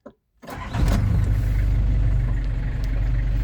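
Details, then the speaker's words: London Taxi diesel with automatic gearbox, started after gearbox gasket and fluid renewal; waits for orange glow plug light to go out, brief crank catches on first turn and settles into steady, even diesel clatter; normal cold start. "Wait for the orange glow plug light to go out. And then first turn of the key, she's away."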